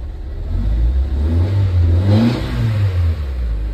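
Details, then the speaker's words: Nissan Sentra (ECCS) after fixing crank no start: engine revs smoothly and drops back without rev cut or stumbling; one spark plug found oil-wet, idle still to be addressed. "Okay so nawala na yung rev cut niya hindi ko n gagalawin to"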